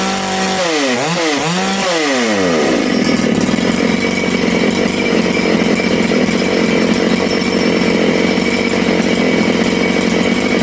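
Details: Big-bore Makita/Dolmar 6400/7900 85cc 54mm chainsaw, carb limiters removed, needles set one turn out: blips and sags through uneven revs, then holds a steady high scream. The low jet ran lean, nearly stalled when turned in, and was richened.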